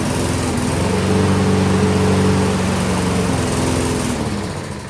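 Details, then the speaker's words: Old Toro Recycler mower with a Tecumseh engine and no air filter, primed, reported by its owner to run then quit: it buzzes steadily for a few seconds, then the note drops and fades as it stalls. "So, the the guy who brought this to me said that it just it just rans runs and quits, but he did point out a couple of things."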